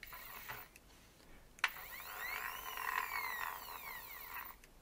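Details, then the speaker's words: PnP parts dispenser with reprinted PETG gears, noisier than PLA; light irregular ticking rattle with sweeping whine as gears turn; owner suspects cogs touching or meshing too tight, may reprint thinner or add clearance. "do with the rotating of the cogs. And it could be the cogs are touching a little bit."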